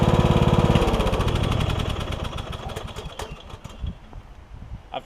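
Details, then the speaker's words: Troy-Bilt Bronco lawn tractor on concrete after new drive and deck belts and deck repairs; single-cylinder engine thumps evenly, then winds down to a stop with no grinding or squeal from the deck. Healthy running, the deck about half as loud as before. "the deck is a little quieter I may start it up and just let you hear it is going to be a little bit loud on the concrete but uh the deck seems to be probably about half as loud as it was"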